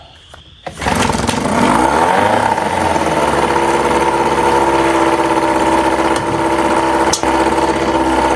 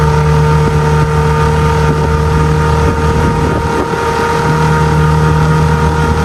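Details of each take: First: 1997 Johnson 6 hp outboard on a 12-foot jon boat, after clearing a clogged tell-tale outlet: catches after a couple of cranks, fast steady buzzy idle that stays high in neutral but drops in gear, idle adjustment untouched; high idle in neutral. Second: 6 hp two-stroke outboard on a 2002 Landau 1236 12-ft jon boat converted to a bass boat, on plane at about 13-14: even, unwavering drone under wind rush, no stumbles or pitch hunting; running steadily at speed.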